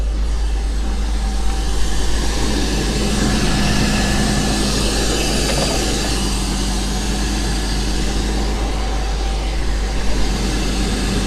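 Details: BMW E39 528 with a no-start/runs-badly problem and a P0335 crank sensor code, three crank sensors replaced, airbox off, just after a hard start. Uneven, lumpy idle that wanders and never settles, though somewhat better; cold start still doggy; cause unknown.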